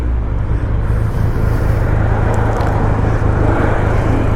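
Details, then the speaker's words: 2020 Triumph Rocket 3 GT three-cylinder, riding home in December after the rear master brake cylinder recall repair and an oil change, showing 34.8 mpg: steady, smooth rumble under wind noise; normal running. "There's no brake issues. The motor's running like a sewing machine, and it's telling me 34.8 mpg, but it's a 3-cylinder, right?"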